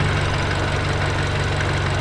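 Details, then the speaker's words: 2022+ Subaru VB WRX FA24 first start after Perrin equal length header (Cerakoted) install, one header bolt missing: steady even idle, sounds same as before, no exhaust leak or ticking; some oil smoke burning off. "Sounds the same for initial startup. I don't hear any difference in sound. She's all in, guys, and running. Sounds good."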